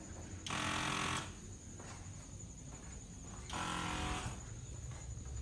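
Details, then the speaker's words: 1990 Corvette ZR1, ignition on, engine off: the vacuum pump under the headlamp buzzes for under a second, stops, and restarts about three seconds later instead of staying charged, a telltale sign of a vacuum leak. "and it's actually cycling on it off which is a pretty telltale sign that there's a leak somewhere"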